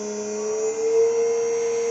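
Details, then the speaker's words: 5 hp motor on Hopewind VFD at about 90 Hz, 1800 rpm on a 1200 rpm motor: smooth steady electric whine at one pitch, no rubbing or grinding; normal high-speed running. "there's nanny hurts that's 1800 rpm on a 1200 RPM motor in 1800 RPM with the gear reduction that I'm going to have"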